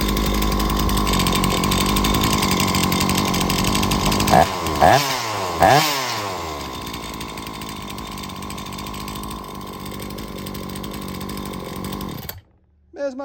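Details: Two-stroke small engine (chainsaw/blower type) tested with a homemade spark gap tester at about 5 mm: runs steadily with a few quick rev blips, then dies suddenly as the spark gives out.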